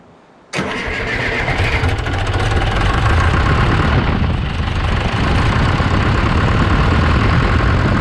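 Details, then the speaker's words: John Deere 480B forklift diesel after fuel system bleed: catches sharply and keeps a steady heavy clatter after key off until wire pulled from injection pump; run-on, possibly from excess pump pressure. "that was interesting you turned the key off but it kept running so uh you see i grabbed this wire down here pulled it off of the injection pump so that it would quit"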